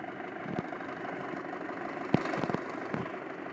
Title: 2.0T FSI ticking noise